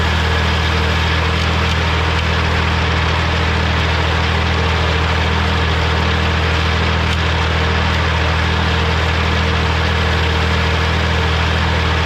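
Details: Morra F25-6 disc mower on a tractor, test run after repair (it had a pod bearing failure the year before and is down again). Steady tractor drone with the discs whirring evenly and no knocking or metal clatter; the mower is running healthy.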